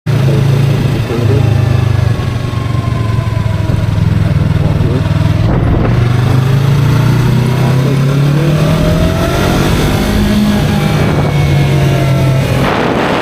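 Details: 2023 Yamaha R3 while riding: a steady high whine that rises and falls with road speed over the engine and wind; source unknown, owner unsure whether it is harmful.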